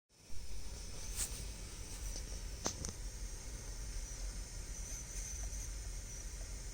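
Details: Dasaita car stereo head unit: steady faint high hiss behind everything with nothing playing; noisy output, cause unclear.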